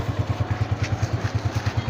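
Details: Honda CG125 2025 model, 5483 km, after cam gear replacement: even single-cylinder thump about ten times a second, blipped throttle, no whine, ticking or rattle; smooth quiet idle, noise fixed.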